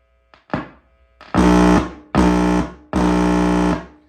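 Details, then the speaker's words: 1949 Capehart Panamuse 24N4 console radio after recapping and resistor replacement: three strong, clean bursts of buzzing tone through the speaker, no crackle; audio amplifier now works (before, only scratchy clicks), though there is still no RF, AM or FM. "So that's the input into the audio amp. So that is working. In fact, it's blowing dust out of the speaker that's traveling across the the light beam here."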